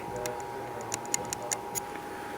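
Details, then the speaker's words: Cam from a dry-fired bow held up to the mic during inspection: sharp, light, uneven ticks about five a second in a quiet room; the cam has a ding, same spot as the other cam. "There's just so much force going into these bows. that if that energy is not going into the arrow and propelling that arrow, then that energy has to go somewhere. Got a good ding on that cam."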